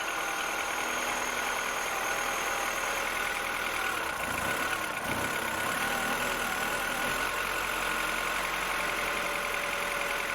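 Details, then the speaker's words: 2007 Mini One 1.4 N12 Valvetronic petrol, which hunted at idle on cold start, after replacing the Valvetronic solenoids; even, steady idle just above 1,000 rpm with constant tone, no hunting or surging; normal idle. "Okay, so that's a little bit better. The Valvetronic has to adjust itself and get some oil in it. But at the moment it's quite steady, which is good news actually, and the revs are just above 1,000."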